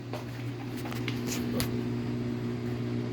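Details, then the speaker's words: Samsung 15 kg washer-dryer spinning after replacing the drum bearing kit, which had made very loud noise on spin, and cleaning the machine. The drum turns with a smooth, steady low hum and no grinding or rumbling. "já tá torcendo centrifugando e é isso valeu"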